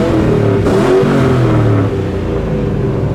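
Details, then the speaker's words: DriftStang (Mustang V8 drift car) at a track event, just after a new ignition coil was fitted to cure a fault: catches cleanly and revs smoothly with even firing, no stumble or miss; sounds better; normal start and rev. "Hopefully it's just the coil pack. Sounds better."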